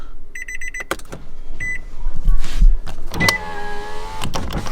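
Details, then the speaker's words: 2017 Nissan Altima with the car on, right after a side-view mirror replacement; short bursts of light electric whirr between clicks, with a chime over the idle, as the mirror motor tilts it downward; works fine. "If you guys can hear it, the motors are working. It's tilting downward."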